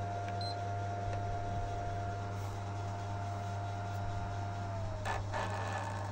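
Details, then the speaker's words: PS3 console fan: steady whir sags in pitch and ends in a very rough, gritty rattle when the console is shut off; noisy worn cooling fan, to be removed and possibly replaced. "bisa kalian dengar ya itu saat dimatiin tuus bunyinya tuh Kasar banget ya"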